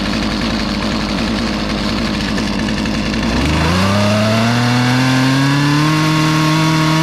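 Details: Poulan 2450 chainsaw with 18-inch bar, reassembled after chain, bar and handle work, sat two weeks; burbling uneven idle, then opens into a steady rising scream that holds clean and strong; revived saw pulling well.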